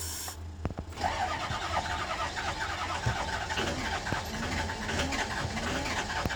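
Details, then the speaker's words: 6.0 diesel bus, crank no start: starter spins engine steadily repeatedly, never catches; battery strong, fuel present, unburned diesel smoke from exhaust. "No, it's turning over. Oh. Got plenty of juice. Okay. There's fuel coming out."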